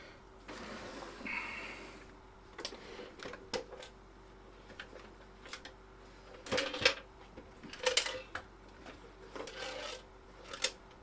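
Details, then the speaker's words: Keithley 2002 8.5-digit multimeter in for repair, being tipped before opening. Scattered light rattles and clicks from something small rolling around inside; owner thinks it's a loose screw inside the plastic cover. "like a loose screw, actually. Sounds like a loose screw. Got to take this plastic cover off. Sounds like it's inside the plastic cover."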